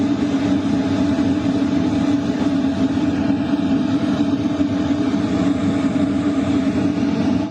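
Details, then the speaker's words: LF Bros diesel heater at maximum 5 kW, combustion power 99%, heard inside a tent at night; airflow much stronger: strong steady air rush with constant mid hum from fan and burner, no knocks or surging; normal operation at full power. "You can definitely hear the airflow pick up. It's a lot stronger. The combustion power is also at 99%."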